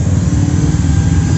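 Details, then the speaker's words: Bosch GBM 350 RE drill after shimming the wobbly chuck head with drink-can metal: smooth constant hum, spins freely with no dragging or wobble; shim thickness correct, running normally. "Nah putarannya enteng dan nggak seret, berarti"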